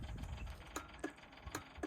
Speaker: Marilla clicking in there so that really then allows power to your fold reverse lever on here